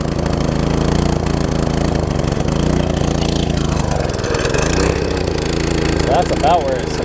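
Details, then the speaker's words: Old MTD front-tine tiller, small single-cylinder: runs flat out with a high steady buzz that never drops back. Throttle locked in the fast position by a binding, misconnected throttle linkage at the carb. "like almost like the throttles walked into the fast position but I loosened up the spring a little bit here so I can't see see if that helps if not a lily sale that runs wide open that's not nothing less desirable here"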